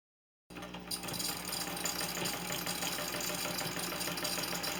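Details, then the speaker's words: Late grandmother's Dressmaker sewing machine stitching crumb blocks: quick, fairly even clatter at about three beats a second with an odd extra rattle; stitches look fine, owner does not know the cause of the weird noise. "And the stitches look beautiful, it just makes a weird noise. If you have any idea what might cause that noise, please let me know in the comments."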